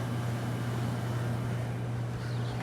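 Steady low hum with an even fan rush, no rattles or cycling, an old window unit running smoothly and healthy.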